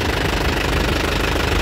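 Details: 2017 Isuzu Panther LS Turbo diesel, 130,000 km, at idle: steady even clatter with no misses, stumbles or knocks, described as stable with good injector nozzles and pump; exhaust smoke clean, indicating complete combustion; healthy idle.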